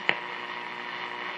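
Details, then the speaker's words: Steady low mains hum under the quiet between stations on a 1947 Silvertone 7054 AA6 radio, not yet recapped; owner suspects it may improve with the recap, likely tired filter capacitors, not confirmed. "There's a little bit of a hum characters and have on there too. That may improve with the recap."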